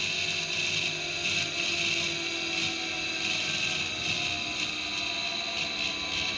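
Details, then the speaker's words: REVA G-Wiz electric car replacement used motor running free on the table in forward, no regen: high-pitched whine with light rattly ticking; owner worries bearings have gone, unconfirmed. "i'm a little worried the bearings have gone in there because i can hear a bit of a noise"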